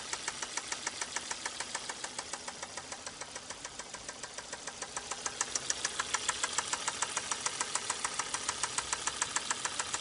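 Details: 2005 Volvo S60 2.4 naturally aspirated petrol idling: sharp steady metallic knock from worn connecting rod bearings, before an additive treatment and an hour at raised rpm cleared the knock.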